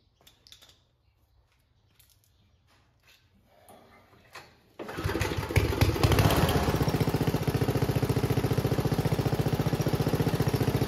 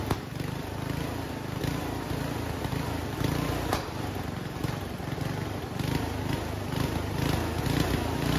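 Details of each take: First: Homemade junkyard go-kart small engine after reassembly. After a few pulls it settles into a steady, even beat with no pops or misses; the backfiring seems fixed. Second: Homemade junkyard go-kart small single-cylinder, after a carburetor clean with the air box off. It runs unevenly, with sharp exhaust cracks every second or so. The owner attributes the backfiring to a lean mixture.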